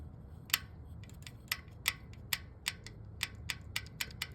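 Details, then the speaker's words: Sharp uneven metallic clicks from a worn rocker arm worked by hand, passenger-side head of a 2015 Jeep Wrangler Sport 3.6 Pentastar during camshaft, lifter and rocker replacement; source of the running tick. "hear that noise? That's the ticking noise when the car is running. This is the bad rocker arm. This one."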